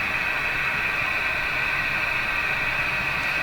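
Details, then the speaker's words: Johnson Messenger CB radio after a capacitor replacement, on restricted power on channel 5 with squelch all the way down. Steady hiss with a sustained musical tone near 2.5 kHz; the owner says it is interference from his furnace fan. "so that that musical Tony sound you hear in that that's my furnace fan making that interference"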